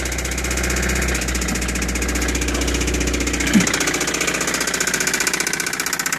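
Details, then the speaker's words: 1985 Toyota MR2 that reportedly threw a rod: a steady idle with a sharp knock repeating about three times a second over the engine. Bad bottom-end rod knock. "uh with the exception of it's got a pretty bad knock in it so all right I'm going to crank it up for you and you'll hear it trust me I'm sure you can hear the knock it's pretty"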